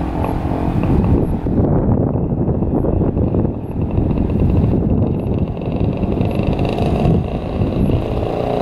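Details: 1967 Yamaha YL1 two-stroke motorcycle, barn find revived after sitting over 40 years, normal idle: steady crackly putter holding an even idle with no misses or knocks; fired right up and idles perfectly.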